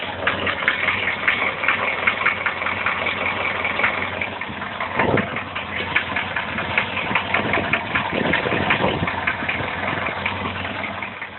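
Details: Engine idling after the timing chain was tensioned and the valves were adjusted: a strong, sharp, uneven knock at about two to three beats a second appeared. The chain is stretched but a tensioner extender is fitted; the cause is unconfirmed.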